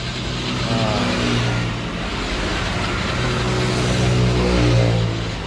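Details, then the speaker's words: Yamaha Mio M3 scooter that won't start, after swapping in a good battery from another Mio: starter spins the engine steadily for several seconds but it never fires; owner suspects compression leak or ignition, to be checked. "Oke ini starter jalan tapi mesin gak jalan berarti permasalahannya ada di e mesinnya ya Nah kemungkinan kompresi bocor pengapian segala macam nanti kita cek"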